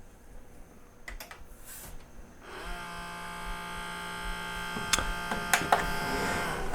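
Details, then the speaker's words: Sony CDP-CX355 Mega Storage CD changer, nearly 20 years old, carousel won't rotate and gives a table error: the motor whirs steadily with faint clicks but the tray never turns; the carousel belt is broken, slipped, stretched or gone gooey. "could hear that the motor's turning, but the carousel isn't spinning. This usually means that the belt is broken, slipped off the pulley, stretched out, or just turned to goo."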